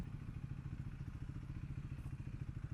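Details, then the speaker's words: Triumph Speed 400 single-cylinder motorcycle ridden hard in Bucharest traffic: at high revs a strange dry rattle rides over the firing beat, and the rider feels it is losing power and not performing as it should. "mi se pare că sus în ture se aude și un zornăit așa ciudat și parcă pierde din putere."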